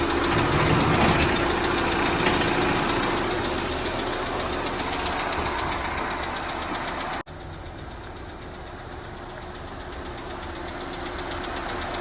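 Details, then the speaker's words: Audi Q5 2.0 TFSI replacement engine on cold start: fast steady ticking clatter over idle, three or four a second, audible outside the garage, from lifters not yet pumped up after sitting; abnormal. "But anyway, you heard how the noise of the engine was clattering pretty bad? It was like you could hear it even whenever I stepped outside the garage. Well, that's absolutely abnormal."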